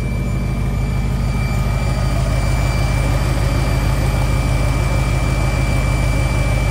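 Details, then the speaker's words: V8 idling after working on an Edelbrock 650 carburetor: a constant high-pitched whine over an even idle. Owner unsure of the source, possibly related to the carburetor cleaning. Engine whine, cause unconfirmed. "what the hell is that whining [Music] no y'all hear that whiny noise"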